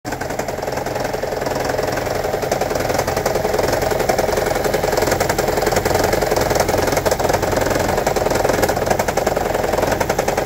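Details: 2009 Toyota Prius 1.5 Hybrid with check-engine light: heavy, uneven rattling idle stumbling about three times a second; P0304 cylinder 4 misfire, shorted spark plug and low compression found, fixed by replacing the spark plugs.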